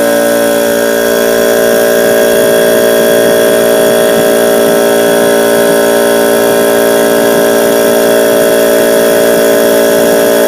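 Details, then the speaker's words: Husky air compressor that made a noise and tripped the house breaker, after the motor was freed to spin: a steady, even motor hum with no stalling or labouring; it now runs well. "porque lo conecté y al conectarlo como ven en el vídeo trabajo bien"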